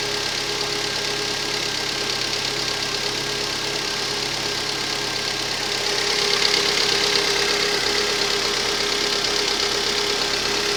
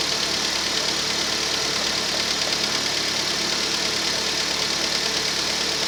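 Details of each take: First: Rover 25 1.4 petrol, cold start idle with faint uneven stumble, slight misfire; engine ticking is normal hydraulic tappets when cold, no idle change under full electrical load; cause was faulty lambda (O2) sensor, fixed by replacing it. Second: Rover 25 1.4 petrol cold start, normal steady idle with light quick ticking from hydraulic tappets, normal at cold temperature; later slight misfire traced to faulty lambda (O2) sensor.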